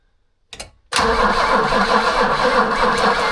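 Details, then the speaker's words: Abandoned BMW E21 sat for years, cranking with carb fuel on the old battery: starter turns engine slowly and laboriously, about four turns a second, without firing; slow cranking as weak battery dies. "Battery's going to die, bro. >> All right, so the old battery actually gave out on us."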